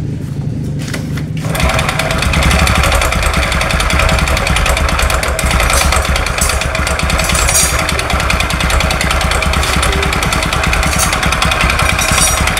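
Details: Honda Supra X 125 carburettor motorcycle, cause of damage unknown. The single runs harsh and clattery with heavy knocking, far worse when revved. Two knocks are suspected, provisionally a connecting rod knock and piston slap.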